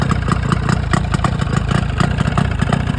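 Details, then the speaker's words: Rebuilt 1995 Force 40 hp two-stroke outboard idling with a slightly lumpy pulse; starts well; owner suspects an air leak at the RTV-sealed crankcase halves, possibly cured too cold; not confirmed. "who knows what it could have been or where it's leaking from but it's got a little bit of a lumpy idle as you'll hear here"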